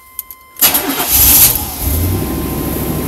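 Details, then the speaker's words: Yukon with catalytic converter missing and a welded-in pipe, revs up and down, hesitates and stalls: starts with a loud burst, then idles around 700 rpm with raspy hissy puffing, worse than yesterday; exhaust leak. "And there was a lot of exhaust leak, of course. That's why it sounds louder, but yesterday it's gotten a lot worse."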